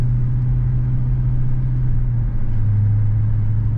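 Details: 2007 Chrysler 300 Hemi V8 after an engine swap, mid-muffler delete, while cruising: deep, steady, throaty rumble with no knocks or rattles; normal exhaust note.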